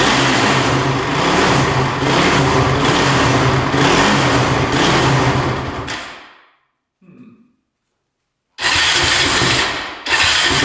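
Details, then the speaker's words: Honda TRX450 quad, choke on, fuel on reserve: single runs ragged, fades and stalls, then catches again; it keeps shutting off, seemingly flooding or choking itself out. "yeah it keeps on shutting off something's going on"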